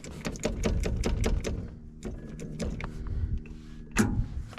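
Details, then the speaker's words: John Deere 890 excavator with frozen controls, key turned: sharp, rapid clicks as the starter solenoid clicks on hard, but the starter does not turn and the engine never cranks. "you can hear it clicking on a solenoid but I don't hear it starting"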